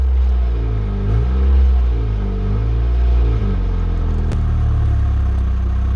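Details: 2007 Saturn Ion after low-voltage throttle sensor fix and battery-disconnect hard reset: engine rises through a few light revs then settles to a steady, even idle, electronic idle control audibly adjusting itself.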